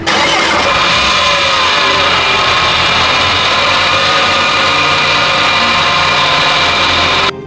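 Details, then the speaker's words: Porsche Macan after temporary fix of broken oil filter housing and temporary gearbox seal: engine catches and settles into a steady, smooth, even run with no misses or knocks; normal running. "so now the engine really runs smooth and the gearbox is temporarily sealed"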